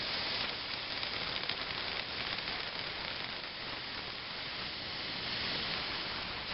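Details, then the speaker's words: Fogless mister at 15 psi air, coolant tank pressurized to about 20 psi, needle valve barely opened: steady airy hiss with faint fine crackle, coolant just introduced and stream turns cold; normal mist spray. "right that right there barely open and you can definitely tell when you introduce cooling into the stream it def to gets cold"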